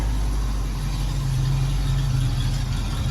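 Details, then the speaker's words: 1966 Ford Mustang 289 V8 coupe, automatic, revived after 46 years in a barn, fitted with new exhaust; the new alternator is making noise and will be returned. Deep, soft, even V8 idle burble, exhaust tight and quiet, no ticking, hissing or rasp: normal idle. "Listen to the exhaust. So quiet."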